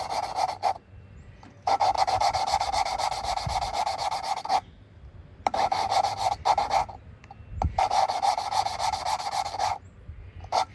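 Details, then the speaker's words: Kia 3.8L overhead-cam head reassembly, valves lapped by hand: gritty, coarse rasping strokes in short back-and-forth bursts with pauses, expected to turn finer as lapping progresses; valve lapping. "so now you hear that it's a real coarse sound and we're gonna do is we're gonna go back and forth kind of like starting a fire the old-fashioned way"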